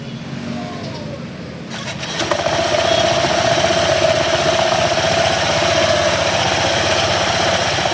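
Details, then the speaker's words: Honda ADV 160 scooter after its first DIY CVT cleaning, restarted with the CVT cover off to check it before refitting. Brief crank, then a steady, even idle with a smooth belt whir and no rattle or slip. CVT runs okay. "So papaandarin natin ulit, then observe natin. Observe natin bago natin balik yung cover."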